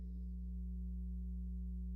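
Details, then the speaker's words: 1957 Gibson EB short-scale bass with single-coil pickup: steady low mains-frequency buzz with higher overtones at constant level, the noisy single-coil hum. "This is the single coil pickup. This is noisy. You can hear it humming."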